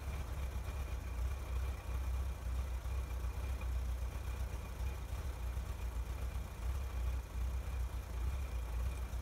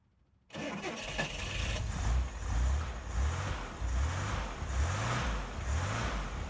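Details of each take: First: 1961 Chevrolet Corvair Lakewood after FAST XR 700 electronic ignition install, air cleaners back on: steady even low burble at idle, no misses or ticks; runs smoothly, sounds much better than before. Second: 1961 Chevrolet Corvair Lakewood just after installing FAST XR 700 optical electronic ignition to fix no-spark issue: starts much easier, then slow lumpy idle with a low pulse about once a second; idle set too low, to be raised at carburetors.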